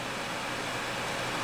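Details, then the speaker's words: Two Gainward GTX 580 Phantom 3GB cards in SLI under load in low-airflow case, 32°C room, top card about 84°C, fans at high speed; steady even airy whoosh, no ticking, rattling or grinding, healthy fans. "um I mean the the fans are going to be spinning that fast at this GPU temperature no matter what temperature the room is"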